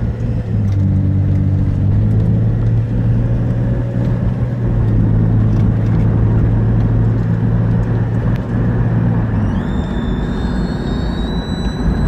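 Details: Engine idling with a steady low drone and a thin high whistle creeping in near the end; a vacuum leak is suspected but the source is not yet found.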